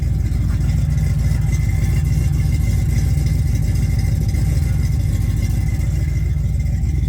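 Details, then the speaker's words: 1969 Camaro with a freshly rebuilt 327 small-block Chevy V8 (bored 40 over, 480 lift cam): a steady, deep, lumpy idle with no rough misses and a slight possible lifter tick. The carburetor is untuned apart from the idle setting and smells a little rich. "I can smell that she's running a little rich. I have not tuned at all in the carburetor, really. I just got the idle set. But so far so good. She's running good. No issues."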